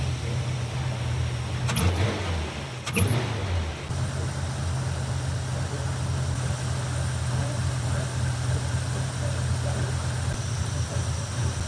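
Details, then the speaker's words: 1957 Chevy Nomad V8, timing retarded from 38° to 34°, carb idle mixture screws uneven (rear half a turn out, front two): deep, slightly uneven idle rumble; car stalled after 15 minutes and dieseled. "I'm going to go through, do some carb adjusting. It seems a little wonky."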